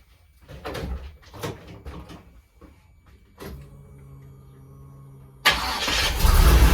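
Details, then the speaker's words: 1983 Pontiac Trans Am V8 after distributor swap, timing around 36 total, stationary: after handling noise settles into an even idle, then snaps up to a strong clean rev; good throttle response, success. "good and responsive oh that a success"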